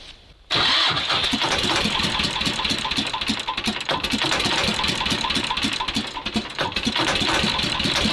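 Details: T-16 tractor diesel after owner adjusted a valve that was so tight it likely had no compression; now catches and runs unevenly with irregular clattering, stumbling beat; owner suspects the valve was sticking and he adjusted it wrongly.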